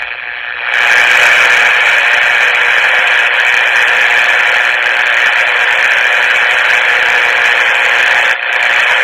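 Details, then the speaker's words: 1962 Emerson 707 transistor radio, indoors in a farmhouse that gets few AM stations: even, steady hiss with no station breaking through; radio works, just no station received. "all right now remember we're in the uh Faraday cage here in The Farmhouse and uh we don't have any uh we don't get any AM radio stations in this in this house indoors very much anyway"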